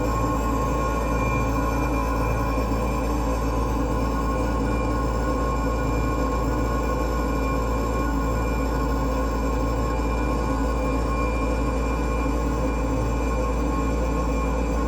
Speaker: There's a purge fan inside of here. And I think it's the bearing is going out on it cuz that doesn't sound good. Sounds terrible.